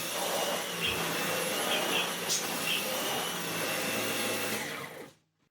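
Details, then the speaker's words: Dyson V12 Detect Slim Absolute cordless stick vacuum, which had been clogged and kept pulsing and cutting out, now no longer pulsing, vacuuming: steady high-pitched whir and airflow hiss at even pitch, then switching off. Running normally. "it's not pulsing anymore, but it's still not bloody lasting."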